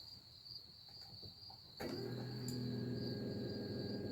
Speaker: yeah, just click the switch and then the motor goes, and that should push me.